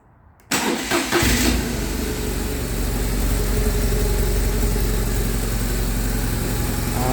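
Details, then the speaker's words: 2009 BMW R1200R after fuel pump replacement: engine catches at once and settles into an even, steady idle with a clean regular beat, no knocks or misses; runs well after repair. "the bike sounds lovely"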